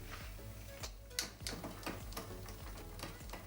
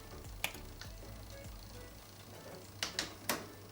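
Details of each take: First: Mountain bike (Rockrider e-ST 900) rear derailleur, after straightening hanger and reconnecting cable: steady rhythmic ticking while cranking as jockey wheel isn't aligned with cog; fixed by adjusting cable tension with shifter barrel screw. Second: Mountain bike (Rockrider e-ST 900) after hanger straightening and cable tension adjustment: crisp single clicks at each shift, chain climbing and descending cogs cleanly with no grinding; derailleur correctly adjusted.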